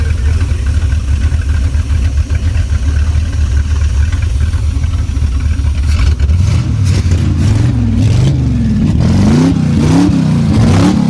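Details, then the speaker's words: Abandoned Chevrolet C10 project engine running with no exhaust fitted, throttle worked by cable: smooth, even idle, then crisp blips that climb cleanly and drop right back to a steady idle; a healthy, peppy motor. "Wow. This thing is actually a really good runner. Sounds good. Obviously, there's no exhaust on it."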